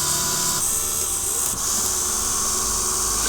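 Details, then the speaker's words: fischertechnik hydraulics model, second pump motor: steady high-pitched electric whir holding even speed without humming or labouring; running fine, unlike the other motor that hums. "one just keeps running fine. So nothing wrong with that yet."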